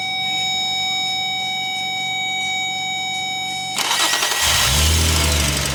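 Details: 2004 Infiniti G35 with a no-start complaint: a high steady electrical whine, then a short crank, and the engine fires into smooth, even running. On this attempt it starts normally.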